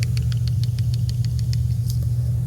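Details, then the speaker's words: Folding knife shaken open and locked: quick light metallic clicks about six a second as the blade rattles from vertical play through a gap inside; lockup not rock solid, possibly off timing; pivot tightening won't remove vertical play. "it has room to wiggle when I shake the knife around it rattles because there's a gap inside of there"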